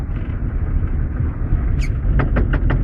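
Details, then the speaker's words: VAZ 2112 gearbox: engine quiet in neutral, then in fourth gear sharp regular knocks about six a second in the gearbox and shift lever vibrates; same knocking in third; cause unknown. "пошел о как пьет конкретный штук в коробке чё такое пацаны чё за хрень"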